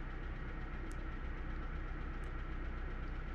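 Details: 1998 Honda CR-V with student-installed fault, misfire code set: low idle with uneven beat and a stumble about three times a second; single cylinder misfire, fuel trims barely changed.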